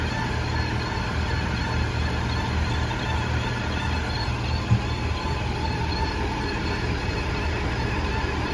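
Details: 2018 Audi A5 Quattro: faint steady whine over road rumble at about 45 mph that cancels out as speed increases, no vibration; stethoscope locates it at the driveshaft center support bearing, fixed by replacing the driveshaft since the bearing isn't sold separately.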